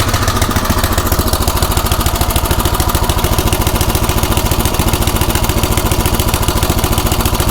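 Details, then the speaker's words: Craftsman rototiller single-cylinder on a new carburetor, drilled out one size and idle screw turned in about 1.5–1.75 turns, tried at full throttle, half choke and full choke; steady, loping idle with a lazy beat, idle speed still slightly low. "let's see what we have full throttle about half choke full choke should be a little faster"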